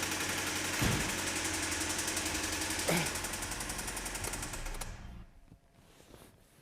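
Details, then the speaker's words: 2010 Hyundai ix35 with G4KD engine, manual, started warm after sitting in a heated garage: hard sharp knocking about 220 per minute over the idle until shutdown; suspected bearing (crankshaft liner) knock, severe bottom-end damage. "Ой блин как Ох Так это же вкладыши наверное нет хотя вкладыши когда нагреется"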